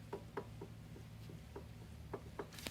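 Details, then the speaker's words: 2000 Cadillac STS Seville jacked up with wheel off, outer tie rod rocked by hand: light irregular clunks, roughly eight in three seconds; loose, worn outer tie rod end needing replacement. "that ain't right ain't no other way around it uh it needs to be replaced"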